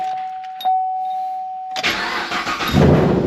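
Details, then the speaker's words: 1993 vehicle with newly installed 355 V8 and 400 transmission: sluggish crank on a pretty dead battery after a steady tone, then it fires and settles to an even idle with no ticking; sounds like it's supposed to. "There she goes. So that's the aftermath, people. That's the aftermath. Yes, sir. Sound like she's supposed to."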